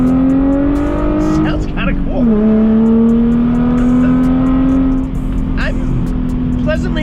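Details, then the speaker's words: 2004 Chrysler Crossfire six-speed after repairs, accelerating hard on the road. A strong, clean engine note climbs with revs and dips briefly at the shift. The earlier whine is gone; it sounds and drives healthy. "sounds good wow I like this exhaust it sounds clean winding did go away and to be honest with you it's driving great it feels healthy sounds good"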